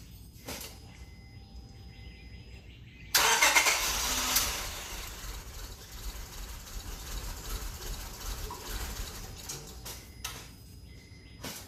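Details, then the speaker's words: 2006 Honda Accord after half a tank of diesel was drained and the system flushed with fresh gasoline, with diesel still in the fuel rail: long steady cranking at about four turns a second before it finally catches. Extended cranking, hard start. "It'll probably take quite a bit of cranking before it gets enough fuel to the injectors to fire, because there's still some diesel up in the fuel rail, but we'll see what happens."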